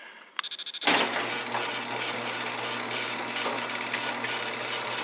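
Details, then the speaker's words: Helpmate 10-foot chain-drive garage door opener (Helpmate Equipment Company, Benton Harbor, Michigan), run from a Crusader remote: a few quick clicks, then a steady motor hum with chain rattle, a little speedy; normal operation. "it is a little bit speedy"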